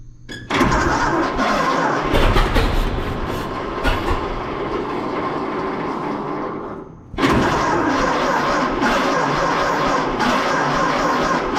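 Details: 1926 Seagrave city service ladder truck, 1013 cu in "F" six-cylinder, just started after 10+ years sitting, no work done beyond battery and gas to carburetor; cranks, catches, runs with uneven stumbling beat, restarts same, missing on one or two cylinders, cause unconfirmed.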